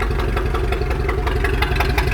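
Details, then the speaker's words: Chaparral boat engine after the defective aftermarket carburetor was replaced with the owner's original carb, rebuilt: even, steady idle with a slight lift when blipped, no stumble or misfire. Runs well with no flooding. "So we took his old one, rebuilt it, put it on. Now go ahead and start it up. Started and running good."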